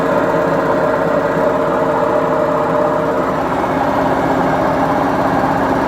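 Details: Beko washing machine, 7 years 8 months old, during spin; steady heavy roar with dull rumble underneath from worn drum bearings; machine to be replaced.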